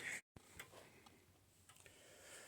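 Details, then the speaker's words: Old grandfather clock being set up: soft ticks with unevenly spaced tick and tock, a lopsided beat that suggests the pendulum is slightly out of beat; this is corrected by turning the thumb screw that shifts the pendulum. "so if it's tick tock tick tock tick tock then that's out of beat and it sounds like mine might be a little bit out of beat"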